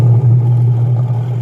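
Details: Washing machine after repair of a steel-scraping noise while running: gear case shaft cleaned, wash motor and gear case pulleys realigned; pulsator agitating, heard from underneath, smooth low motor drone with gentle swell, no knocking or grinding; normal.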